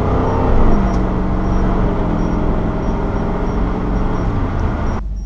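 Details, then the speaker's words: 3rd-gen Camaro with a 305 TPI V8 and an adapted replacement EGR solenoid, on the road test at about 75 mph into a heavy headwind under moderate throttle: even firing, no misses or knock. No code 32, driving great. "there should have been plenty of time uh for a Cod 32 to set if was was going to and so far so good um driving great"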